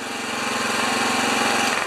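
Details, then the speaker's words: Honda EB2200X generator idling with no load in auto low-idle mode, steady low speed with an even slightly buzzy beat; previously wouldn't start or stay running. "i think that is the uh i think that's the old version of the uh low rpm idle when there's no load"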